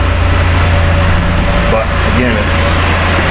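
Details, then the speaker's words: Chevy Impala that sat two years, running with no air filter after a body control module swap: uneven, lumpy idle stumbling every few beats; sounds and feels like a misfire, smells of leaking gas. "it sounds like it's misfire feels like it's misfire smells like it's leaking gas"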